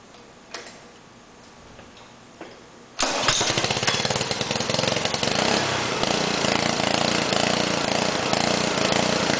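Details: Honda GC160 5 hp overhead-cam engine on a Generac pressure washer, start-up: a few quiet clicks, then it fires at once and settles into a steady, even buzzing run; healthy engine.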